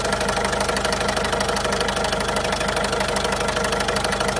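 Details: 2008 Citroën Berlingo 1.6 HDi 55.2 kW diesel at idle: sharp very regular knock about three per second standing out above the diesel clatter, occurring sometimes; cause unknown.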